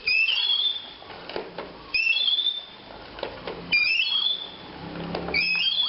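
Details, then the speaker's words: 3M spin mop: a high sliding squeal each time the pole is pumped, with plastic clatter, from the inner spiral shaft gone stiff after water got in; fix is cleaning it and applying plenty of new grease. "เนี่ยมันดังแต่พ่อน่าจะมาจากเพรียวเรียวข้างในมันมีน้ำเข้าและแล้วมันก็ฝืด"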